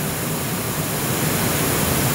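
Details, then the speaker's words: Roland MX-1 mixer, output 5/6 unconnected, monitor and master at full volume, recorded by AT2020 USB mic near monitor: even unchanging hiss cutting off sharply; input hiss on unconnected channel. "now the output 56 is not connected currently and white noise not too bad considering the extreme conditions of full volume everywhere"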